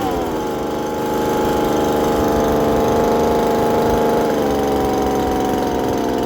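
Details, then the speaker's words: Poulan Pro two-stroke leaf blower just after muffler replacement: high, even buzz at steady speed easing slightly near the end; smooth, healthy and much quieter than before. "all right so now that the new Mufflers on as you guys saw it we're gonna start it up and see how quiet it is oh it's so much better"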